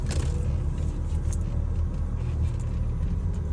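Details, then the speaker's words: Mercedes W210 at idle: steady low hum from the power steering pump with heavy steering, appearing after the first few minutes of driving. "Гур начал гудеть, и руль стал тяжёлым."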